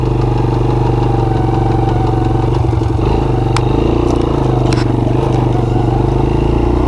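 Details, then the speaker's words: Honda TRX90 Four Trax ATV, two-stroke engine, cold start: steady low drone with a short burst of irregular clatter in second gear; seller said second gear is out, owner thinks possibly fixable. "to be honest I'm not going to say if it's a cowasaki a Suzuki so that's fourth it's third yeah I'm not sure whose two cycle engine they put on them yeah second gear clicks"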